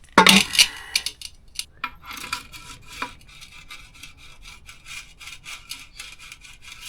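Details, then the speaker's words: Yamaha YZ125 torn down after big-end bearing seizure, swingarm off, pivot turned by hand: quiet scratchy rasping in uneven bursts; swingarm bearings worn with about half a millimetre of play and rusty grease, need replacing. "I'm gonna check these bushings, bearings, whatever they're called. Oh yeah, they're a little worn."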